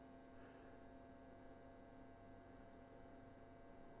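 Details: 1947 Philco 47-1230 radio phonograph at first power-up, voltage being raised gradually (about 45–75 V) while watching the ammeter for transformer shorts. Steady, even mains hum with no crackle; the current does not spike.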